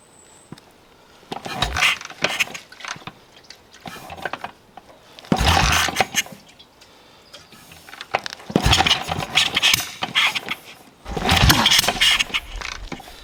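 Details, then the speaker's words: BSA 441 Victor single-cylinder kickstarted after carb pilot jet cleaning: four kick attempts, each a short burst of coughing pops that dies at once; backfires, no start. "Trying. Is it being a 441? All I hear are backfires and no starts."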